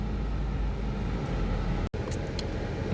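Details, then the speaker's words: Honda Civic idling right after a battery replacement and restart: steady, smooth low rumble with no knocks, misses or whine; normal running. "Once that happens, foot on the brake, give it a turn, car starts right back up. Beautiful."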